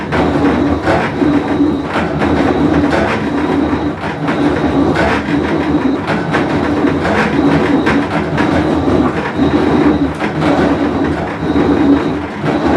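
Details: Whirlpool Cabrio washer with bad bearing, full wash cycle; loud grinding rumble swelling and fading with drum motion, irregular knocks; tub bearing rumble.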